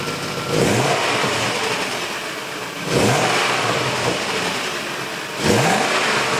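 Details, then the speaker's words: BMW E31 840ci, M62 V8, after manual transmission swap and new custom 2.5-inch exhaust with cats, resonators, X-pipe: deep even idle with three clean blips revving crisply and settling smoothly; healthy, sounds good. "Now we're about to do a third run. See what it sounds like. Man, that sounds good. Sounds really good."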